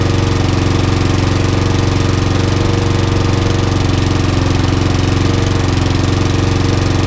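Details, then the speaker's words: Trash-picked petrol lawnmower, oil-filled tank, run on fuel put into the head: steady single-cylinder chug about four beats a second with a hard, knocky edge, no longer smoking; owner suspects the head or the pistons. "Okay, as you can hear, the lawnmower's on its test. It is now not smoking, but I've got my suspicions it's not right."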